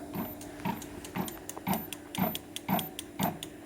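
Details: Bafang hub motor on a Gitane La Poste electric cargo bike: regular ticking surges, about two a second, under throttle; abnormal noise, the motor seems to lack power and doesn't hold, suspected electrical problem.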